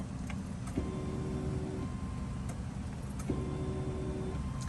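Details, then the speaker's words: Subaru Outback revived after catastrophic engine failure, newly installed fuel pump primed with the key on to check for leaks: a steady electric hum runs about a second, then cuts out. Normal fuel pump priming. "let's see I'm going to prime it and check for leaks oh I hear the"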